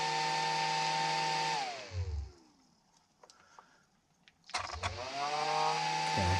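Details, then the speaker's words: Traxxas XRT conversion cooling fan, cover removed after it would not spin and only vibrated: small fan whine rises to a steady high pitch, drops away, then spins back up smoothly; fan now running. "that thing's going now okay all right so that fan is going now"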